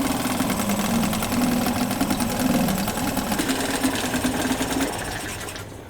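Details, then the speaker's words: Two-stroke Yamaha 5 outboard (one of three), started on internal tank with choke closed; overestimated idle speed reduced, check-port water stream confirmed. Quick, even buzzing putter, steady with no misses before winding down; runs perfectly. "We decrease the overestimated idle speed, check that the stream from the check port is going. The motor runs and works perfectly."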